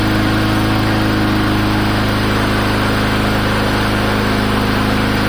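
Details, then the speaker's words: Old free push lawn mower revived cheaply, run with the safety handle clamped and extra tension against the governor: a steady, even, brisk buzz with no misses or surging; it runs normally. "runs pretty good"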